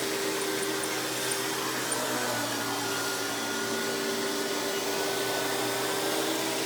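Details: Hoover PowerMax Supreme 850 S3609 canister vacuum, 1990s, non-original hose, on high speed with power brush: steady, even motor whine with smooth brush hum underneath, no rattles or surging; runs very smooth, not the quietest; normal running.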